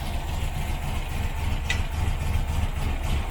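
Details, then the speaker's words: 1968 Morris Minor 1000, first start of the year after sitting, cold, just caught: uneven low lumpy chugging with slight stumble; over-choked running, with a misfire suspected shortly after. "now it's getting a little bit too much choke"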